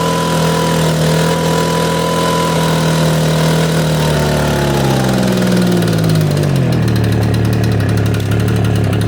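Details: Echo PB770H two-stroke blower with a hot-restart problem, after an adjustment screw was backed off a quarter turn, started with no prime or choke: note drops steadily from high revs to a settled, even idle; a clean, healthy hot start.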